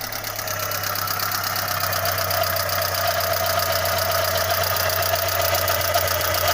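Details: Audi 80 B3 1.8 at idle: faint, fairly even knock of roughly four per second on the engine note, temperature slightly rising; owner suspects a rod bearing, not confirmed.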